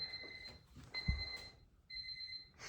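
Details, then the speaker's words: Honda Civic with K20/K24 swap, first power through homemade charge/starter harness: clean, high two-tone beeps in short bursts, the normal Honda power-up chime, nothing on fire or smelling. "no weird smells or nothing like that so far um I missed that sound the Honda beep"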